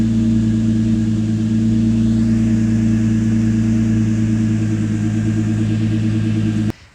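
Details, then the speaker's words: 2013 Chevy Cruze, first startup after the correct ignition coil was fitted (a bad coil had mistakenly been reinstalled): steady, even idle with no misfires. "now let's go for the first startup it should be okay should is a keyword well yeah sounds good no misfires"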